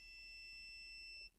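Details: Vox AC15 TV valve amp: the continuity check on the spare mains fuse gives a clean, steady high-pitched beep lasting over a second, then stops. The fuse is good, while the one fitted in the amp had blown.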